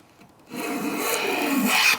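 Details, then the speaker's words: Long hand plane planing a vise-held board with the grain: one steady, unbroken rasping stroke of about a second and a half with no skips. The board is planed flat. "When you get one continuous smooth cut, you know you got it flat."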